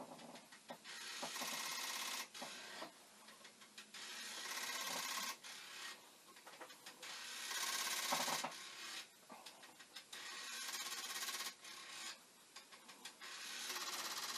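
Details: Commodore 1541 disk drive (test drive's mechanism on the faulty drive's board and power supply) looping continually: rapid rattling clacks and buzzes about three a second as the head hunts for a track; head knocking.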